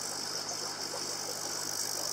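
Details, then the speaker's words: TetraTec aquarium air pump after silencing fix against rattling on walls and furniture: soft, steady air hiss over a very faint low hum, much quieter than before. "You can just hear [air hissing] the air coming out of there, but it's much much much quieter than it was before."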